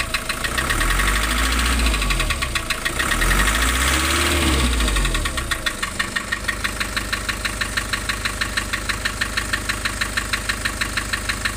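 Uneven diesel idle with a lumpy, loping beat of about three pulses a second and no steady rhythm; a rough idle, cause unconfirmed.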